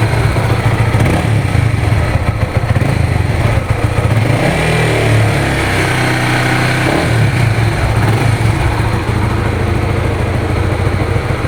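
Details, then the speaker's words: Honda Supra GTR 150, nearly 2 years of use: it revs up smoothly in a few light throttle blips and drops back to an even idle with nothing odd underneath. The owner says it sounds like new; healthy. "Bagus kan? Nggak ada suara aneh-aneh."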